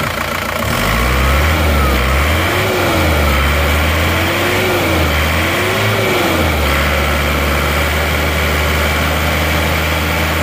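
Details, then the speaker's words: Non-turbo Isuzu Panther diesel revved in a comparison of replaced versus reversed original liners, same temperature and oil; clatter rises smoothly through throttle blips and drops back cleanly, no knock or miss; sounds the same as the turbo one. "suaranya juga sama sekarang kita lihat asap knalpotnya kita mulai dari yang Turbo n asapnya nggak ada"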